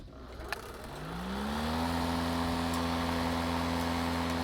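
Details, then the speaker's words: DeWalt Gen 2 cordless mower (DCMWP233U2), load-sensing motor that runs slow unless in thick grass, after re-seating the safety-switch cord; spools up over a second to a steady smooth whine, normal low-speed running, though owner notes it sometimes revs and dies. "This lawnmower senses when it's hitting thicker grass and it revs up. Otherwise it runs at a lower speed."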